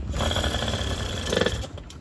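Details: Used Yamaha 50cc after a friend fixed the carburetor, which had stalled unless choked: small engine buzzing at a quick, even patter on choke, slight rise near the end then easing off; normal idle on choke.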